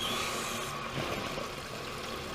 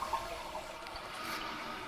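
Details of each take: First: Toilet after replacing the broken fill valve and sticking flapper and lengthening the snagging chain: steady hiss of water refilling the tank with a softer trickle into the bowl, even and uninterrupted, normal refill. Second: Toilet running: steady hiss of water into the bowl after the flush. Slack left in the chain snags the flapper on the flush valve so it never seals. The fill valve is also broken.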